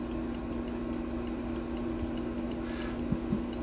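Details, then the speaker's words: Snap-action thermostat fitted to a modified Comfort Zone "Milkhouse" space heater, clicking cleanly: sharp light ticks every few tenths of a second over a low steady hum; quick contact movement reduces wear, unlike the original arcing thermostat; normal. "This is what I meant by a clicky thermostat. This is a clicky thermostat."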